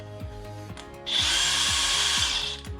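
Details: Brand-new DeWalt 1/2" cordless impact wrench with an 8 Ah battery, unboxed and run unloaded: short burst of high, clean motor whine with steady pitch between clicks, no rattle or grinding; normal free-running.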